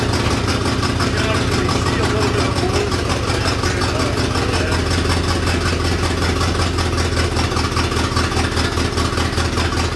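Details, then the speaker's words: 1966 Continental V8, garage-stored and unregistered about nine years, restarted after long storage: it backfires, then settles into a loose, lumpy, uneven cold idle. Smoke comes from the tailpipes, with an exhaust leak up front. "Get it started again. Woo! Backfire. Smoke coming out of the tailpipes though, that's good."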